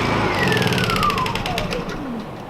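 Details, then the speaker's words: Honda EU2000 generator that runs rough: idles okay with the choke on, but with the choke off its whine sags lower until it stalls; a plugged jet is suspected. "It's idle and rough. So it does okay with the choke on, but as soon as you shut the choke off,"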